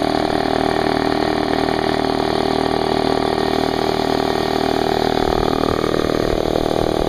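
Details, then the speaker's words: New Harbor Freight Central Pneumatic 29 gallon 2hp 150psi compressor model 68127, fresh oil, 10 minute no-load break-in with tank drain open: steady even piston chatter with smooth motor hum, no knocks, quiet; running normally. "on it's actually pretty quiet"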